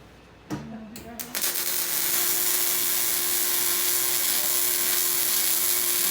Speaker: that's what you want the sound of sizzling bacon